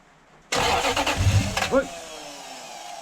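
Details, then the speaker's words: Toyota 1UZ-FE Lexus V8 hot rod first start after long sitting, fuel and oil pressure established: about a second of fast, uneven cranking with a few fires almost catching, then short squeal and dies; won't keep running. "see spark but it wanted to go you saw well I could hear it trying to run"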